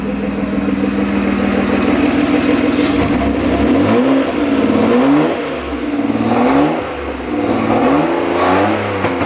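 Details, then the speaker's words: M50B20-powered T18 Corolla drift build just after its new exhaust (two-to-one pipe and side pipe) was bolted up: smooth throttle blips with a clean rising and falling note and no knocks or rattles. Normal revving. "yes that is man sounds so good"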